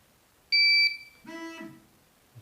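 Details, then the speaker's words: GZAIR SA103 carbon monoxide alarm self-test, switched on again to show the lights and noise: a shrill high beep for about a third of a second, then a lower buzzing tone, with vibration and red lights across the top; the normal alarm self-test. "the vibrating and the sound and the red lights that go across there. So if the carbon monoxide was actually high, that would really be driving you nuts, and should get your attention."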